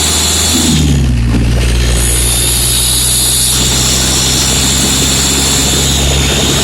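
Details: VW Golf 4 Variant 1.9 TDI 115 hp, recorded inside the cabin while driving: a high, thin squeal when accelerating that rises with rpm and stops on deceleration. The source is unknown.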